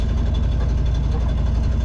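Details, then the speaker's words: Sailboat diesel that had water in the fuel, after an oil change, idling about half an hour in forward turning the prop: deep, even thrum under load with no knocks or misses; normal idle. "the joys of owning a sailboat and idling about a half an hour everything looks clean so I think this did it"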